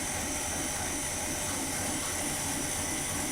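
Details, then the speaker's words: Rebuilt Chevy 283 V8 warm-up run with the cooling system pressurized to check leaks, ATF/oil mix in the engine, after valve lifter work: loud, steady, very smooth idle at about 400 rpm, tractor-like, no misses or knocks. "I can't remember a time I've seen one of these old V8s idling like this. It's idling at about 400 RPMs, and it's really smooth. It's just spinning over. It's like a tractor engine."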